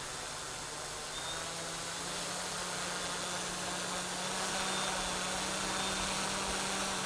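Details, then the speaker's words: Hexacopter 550 (NAZA V2 flight controller, GPS mounted slightly right) in manual mode: steady high motor whine drifting up and down as throttle surges uncontrollably; owner unsure why, suspects flight controller not receiving throttle signal properly. "it seems like i have i have better throttle control but it like it's just the throttles all over the place goes up down up down"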